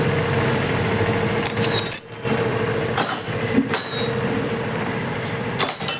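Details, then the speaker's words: TVS Scooty Pep that wouldn't start (kick seized, piston tight from no oil circulation), after oil pump gear replaced and oil added: steady even engine hum amid handling clanks, no knocking or rattling; repaired. "ఇది భయ్యా బండి అంటే బండి ఇప్పుడు circulation అనేది మంచిగా అయిపోతుంది ఇబ్బంది ఏం లేదు ఇప్పుడు ఈ బండి అయిపోయినట్టే లెక్క"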